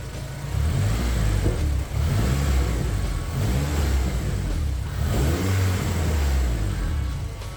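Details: Honda K24-swapped Toyota Camry with new turbo setup and freshly built full exhaust, first start-up, warming up: deep revs rise and fall with uneven burbling and popping off throttle, probably from the untuned setup.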